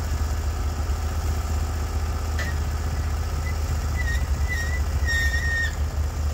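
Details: Norwood HD36v2 bandsaw mill, day two testing new roller guides that replaced the ceramic guides, slabbing big black oak through bark at about 24 in wide: the engine holds a steady, even drone with no hunting or bogging; the cut was flat and effortless, and the operator says it could have been pushed harder.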